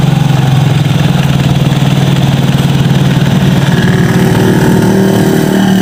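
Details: Yamaha Mio GT scooter, kick-started after an engine block (cylinder) replacement: steady, even idle with a smooth low putter and no knocks, rattles or misses. Normal idle; the smoke is expected to clear in 3–7 days.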